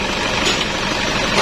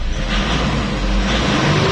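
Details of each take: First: Toyota Innova 2KD-FTV D4D diesel, 2004: harsh rattly idle with hard metallic knocking from a faulty non-genuine fuel pump suction control valve whose piston sits open when off; temporary fix swapping in the old piston. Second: 2004 Toyota Innova 2KD-FTV D4D diesel, knocking with codes P1229 and P0088 from rail overpressure (160,000 vs normal 28,000–31,000 at idle) blamed on SCV: after fix, revs climb smoothly with no knock; normal revving.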